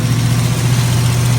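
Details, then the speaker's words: Squarebody Chevy big-block V8 idling with the valve covers off after it came free: a deep, even burble with no ticking or knocking. It sounds healthy and smooth. "That's amazing. I can't believe it. It's amazing. That's how big blocks should run right there."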